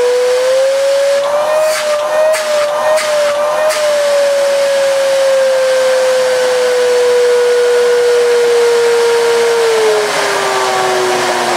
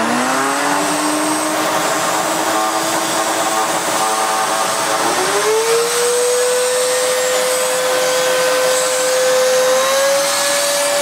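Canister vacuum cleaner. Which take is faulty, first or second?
first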